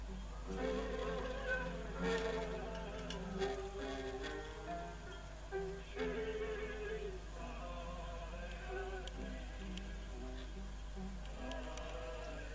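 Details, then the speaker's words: Philips EL3510 (AG8107) tape recorder during repair: music plays back dull and muddy with no crisp top end over a steady low hum; poor playback, cause not yet traced. "you can hear it's not the best in the world is it"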